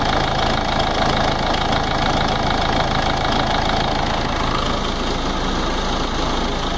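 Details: Ford Ranger 3.0 NGD diesel at idle: rapid, slightly uneven clatter over the running sound, coming from the timing case at the front.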